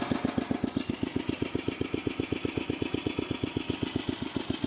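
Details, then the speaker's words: 1968 Sears Suburban 12 yard tractor with a 16 hp snowblower engine, creeping in first low: slow, even thumps about four a second, steady with no misses; engine set to idle very low, running normally. "yeah as you can see I really do have it set to idle low though I think it goes even lower not as low as I got it set to go"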